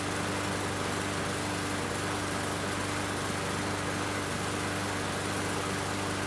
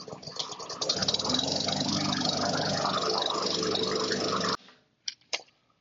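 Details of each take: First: Murray 21-inch mower with Briggs & Stratton 450 series engine, after cleaning water-contaminated plastic carburetor that caused hunting and sputtering: fast steady buzz, slight hesitation only, no surging; running much better. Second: Murray 21-inch mower, Briggs & Stratton 450 series, plastic carburetor: after priming, engine runs rough, hunting and sputtering, then shuts off abruptly; carb to be cleaned.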